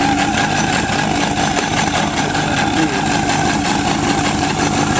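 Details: 2003 Yamaha RX-1 1000cc four-stroke snowmobile after carburetor cleaning (was missing and flooding), started to check for leaks: steady, even idle with smooth low rumble, no misses or surging; normal idle.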